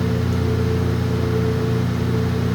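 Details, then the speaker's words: ILG Industries Panel Mount 163 fan, 2-speed GE split-phase motor on high speed (4-pole winding, close to 1725 rpm): steady even hum, strong low air rush, no knocks or rubbing; smooth, much higher output, moves a ton of air. Normal. "Still pretty smooth, but definitely has a lot higher output. Moves a ton of air."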